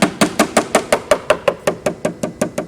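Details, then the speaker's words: Bellanca wing inspection, tap test moving from a rib toward the outer edge: crisp even taps about five per second turning dull and hollow over a rotten rib; dull tap over rotten wood. "Right there is where the rib is. And as I move to the outer edge, my tapping gets dull."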